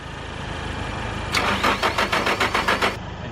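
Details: Car cranking but not starting: about five or six quick chugs a second for under two seconds, then silence; owner suspects battery, worn starter gear or lack of spark, cause unclear.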